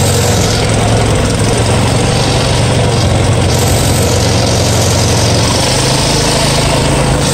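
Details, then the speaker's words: Farmall 140 industrial tractor, revived after 10+ years sitting, driven after a clutch repair, in reverse then second gear: a rough, lumpy beat under driving load; a misfire because a spark plug wire was firing at the wrong time on the distributor cap. "I feel like such an idiot I think I was running this Engine with one of the spark plug wires firing completely at the wrong time"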